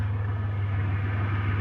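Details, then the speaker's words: Centurion after a fix: touching wires in the O2 sensor harness had made the mixture go extremely lean and stall the idle. It now gives a steady, even low hum at idle with no stumble or misfire, running perfectly. "As you can probably hear behind me, the Centurion is sitting here running perfectly."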